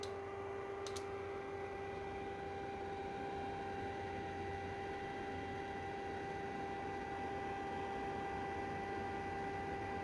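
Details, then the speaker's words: PlayStation 3 CECHC with overheating and YLOD history, about 7–8 minutes in: fan on software control at 30% gives a steady whoosh and whine, but the console stays at 75 degrees; fan running while overheating. "We are about 7 or 8 minutes here, and the fan is working hardcore, not that hard, but on 30%, and it's still not getting lower than 75 degrees."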